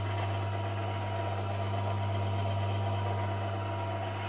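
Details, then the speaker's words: VF1 machine spindle gearbox reassembled after teardown for noise, run at 500 RPM: low hum with mild gear whine, quieter than before but still noisy meshing. "to be fair that actually sounds a bit quieter than it did before"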